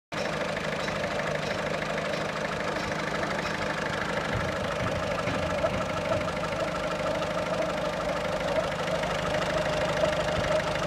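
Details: 1.6 HDi 90 hp diesel at idle: a steady idle with a faint, uneven tapping about two per second over the usual clatter; abnormal engine noise of unclear cause.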